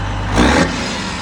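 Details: Kenworth W900 diesel just after a roadside turbo replacement, warming at idle. It sounded rough at first, then improved; revs blip up quickly and drop back to a steady run with no stumble, knock or whistle, and it now sounds healthy.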